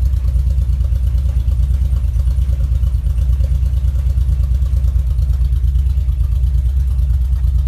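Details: 2.3T engine idling: deep, lumpy idle with an uneven beat around three pulses a second that stumbles now and then; misfire.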